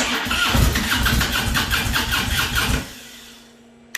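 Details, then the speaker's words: 2015 Harley-Davidson Ultra Limited after handlebar swap: fuel pump primes, then about three seconds of uneven cranking that never catches and drops off; check engine light flashing codes P2138, P2127, P1510; cause found as loose ground on riser clamp. "and it's struggling with that being said check engine light stays on and it is flashing three error codes two of them when i looked up in the service manual said it had something to do with the ground"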